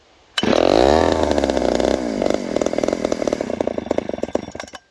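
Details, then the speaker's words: Chainsaw replica of the 1974 Texas Chainsaw Massacre saw started with the choke accidentally left out: fires and revs high, then lumpy, stuttering rhythm before dying. "Oh, the choke was out. Whoops."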